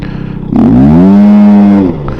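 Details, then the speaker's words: Scooter after front shock oil and seal service and CVT clutch work, stop-start road test: hard pull-away with smooth rising engine note, no blowoff-like noise, belt slap or rattle from the CVT; earlier CVT noise resolved, possibly by changed clutch springs. "test run complete and the problem seems to have been resolved there's no noise in that CVT area at all"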